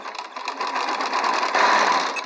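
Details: Qnique quilting machine after loosening top thread tension, bobbin tension set first: quick, even stitching rattle with light whir underneath; sewing smoothly, stitches smooth with tension correct.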